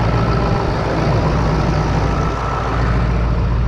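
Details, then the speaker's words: 2002 Ford Excursion 7.3 Powerstroke diesel after A/C compressor, accumulator and orifice tube replacement, idling with A/C on max while recharging, cold outside: steady diesel rumble with faint constant whir, no knocks or squeals; working normally. "And fire it up. Max AC, and let it get going."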